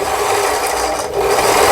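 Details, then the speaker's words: About 25-year-old Lion/Janome Jem mini sewing machine after repair, handwheel turned: light even mechanical rustle and ticking with no catches or grinding; mechanism turns freely. "자 여기 어 소리 굉장히 좋습니다 생각보다 우측으로 이걸 밀어야 되는 거고 그다음에 폴리를 잡아당겨야 되는 기계입니다"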